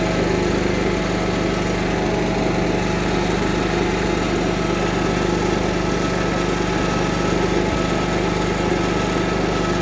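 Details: Cub Cadet 1330 Kohler single, first run after long sitting, with a plastic piece removed from the tank outlet; even, steady pulse with no misses or knocks; running smoothly.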